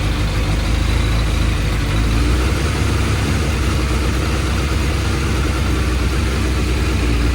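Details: Suzuki Bandit 600 four-cylinder with carburettors, warm, running fine but lumpy and uneven on tick over, the beat wavering; carbs are out of balance and are being synchronised with the pilot screws adjusted.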